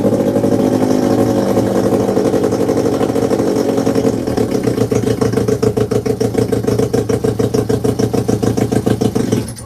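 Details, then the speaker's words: 1947 Johnson TD-20 outboard motor after carburetor cleaning and reinstallation, run briefly out of water: catches and settles into a quick, even putter near 200 beats a minute, then cuts off cleanly; runs fine. "But it does start with the motor, so let's start it up. I'm not going to run it very long because I don't have it in water, so just enough to show you that it does run."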